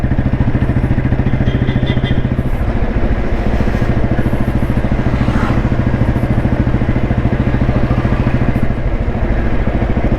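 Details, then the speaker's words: 1993 Royal Enfield Bullet 350 single with crank weight, accelerating gradually in top gear toward 40 km/h: deep even thump building smoothly, no lag or engine knock; normal healthy acceleration. "Top ഗിയറിലാണ് വണ്ടി ഉള്ളത് ഇന്ന് gradually speed എടുത്ത് കാണിച്ചു തരാം വണ്ടി യാതൊരു ലാഗും ഇല്ല യാതൊരു ഇടിപ്പ് എൻജിൻ യാതൊരു ഇടിപ്പും ഇല്ലാതെ വണ്ടി സ്പീഡ് എടുക്കുന്ന"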